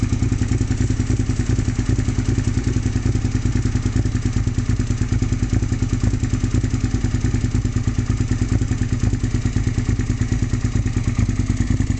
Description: Bike sputters off beat on idle.